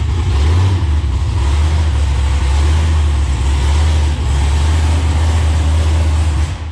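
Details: 2014 COPO Camaro V8 with the factory supercharger, full pull during a baseline dyno run; a bypass valve had earlier been blocked off. Deep steady roar with a rhythmic rise-and-fall surge. Surging under load, new behavior, cause unclear.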